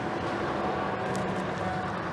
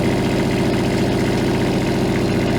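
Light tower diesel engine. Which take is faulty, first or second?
second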